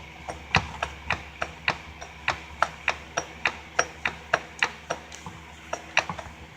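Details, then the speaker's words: Car suspension rattle check: sharp irregular clicks, nearly one per second, as half shaft near CV boot is rocked by hand; some play is normal, but how much is unclear, cause unconfirmed. "You'll hear that as you turn, you'll hear it clicking. I did notice this, and there is supposed to normally be a little bit of play in there,"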